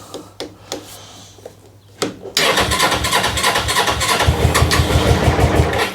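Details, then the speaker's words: GS motorcycle just started and still cold: quiet uneven popping, then it runs loud and lumpy, firing unevenly about three times a second. It won't take revs or run with the choke off; cause suspected, not confirmed. "It just don't like any revs. It don't like the choke off at the minute."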